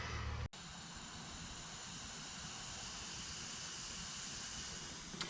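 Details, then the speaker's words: 2006 Land Rover Discovery 3 (LR3) front air suspension strut being replaced. A steady soft hiss of air bleeding from the disconnected strut line, showing this shock was airtight and holding pressure. "sure if you can hear that, but it's leaking air. So as I suspected, this actually was airtight, this shock. So that's just bleeding off."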